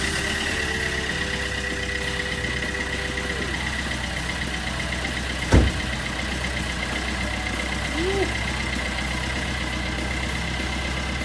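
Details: 2012 Peugeot Bipper diesel: steady, even idle with smooth unchanging beat, no rattle or slap; sounds healthy.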